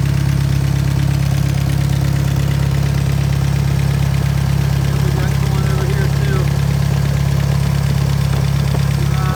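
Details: Willys-powered Hobart welder engine after a re-ring and valve job: steady, even low thump at idle, about three beats a second, no knocks or misses; owner suspects one valve is a little loose; strong, normal idle.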